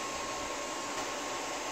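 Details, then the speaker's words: APC XS 1300 desktop UPS reassembled with the temperature sensor reconnected. A steady airy cooling-fan whoosh with a faint high hum and no rattle or alarm: running normally with no error. "Click Clack see if we get an error all right so that's happy three mics and whatnot"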